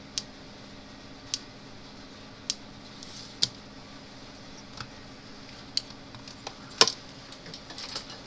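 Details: Gallagher B11 fence energizer, about 0.1 joule output, switched on after repair with broken red wire replaced: sharp crisp snaps about once a second over a quiet room hum, evenly spaced; normal energizer firing.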